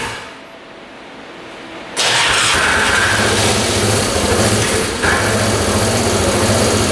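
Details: 1998 Yamaha Grizzly 600 ATV that wouldn't exceed 10 mph, after new CDI with fresh fuel and oil: fires first try, runs steadily and revs cleanly high with no carb popping; CDI likely the fix.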